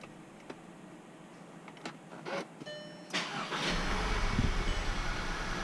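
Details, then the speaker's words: 2014 VW Tiguan R-Line, first start after a home repair of a bad PCV valve that blew oil seals (valve cover, upper timing, vacuum pump, rear main seal): a few light clicks, then it catches promptly and settles into an even idle. "and the dag gum thing works you believe that come out here look at this I think even sounds better pretty much unbelievable"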